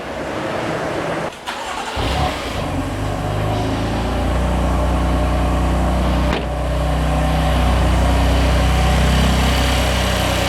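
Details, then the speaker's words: BMW F80 M3 after replacing rocker cover with integrated oil separator whose torn membrane caused a high-pitched whistle: engine cranks, starts and idles evenly with no whistle. "지금 보면은 한참 열흘가 동안 시도 걸어 놨는데도 소리가 발생되지 않고 있어요"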